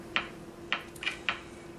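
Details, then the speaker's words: Philco 39-7 tube radio warming up: sharp crisp ticks at an uneven two to three a second over a faint hum; intermittent ticking fault. "as you can see that touching the diode speeds up the uh clicking sound"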